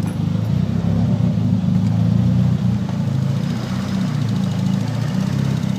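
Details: Nissan SR20DET, stage 3a, 555 Nismo injectors, Z32 AFM, AVCR boost controller, won't rev past 2500-3000 rpm with MAF plugged or unplugged: low drone swelling and sagging unevenly with a dip; irregular idle, cause unknown.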